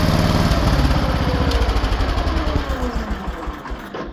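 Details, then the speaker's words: Cast-iron Kohler K-series single-cylinder engine, warmed up, after closing the ignition points gap from 0.020 to 0.012 to retard ignition: even thumping run with no knock, noise fixed. "So, let me get this thing started back up and warmed up and I'll let you hear it. It's fixed. It's not knocking anymore."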